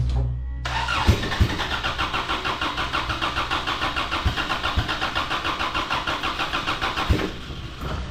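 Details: Race car engine during final race prep cranks, catches into a rough, lumpy run, then falters and stops. A plug/line had come off, but the crew are still confident it's a fueling issue and plan to clear the injectors.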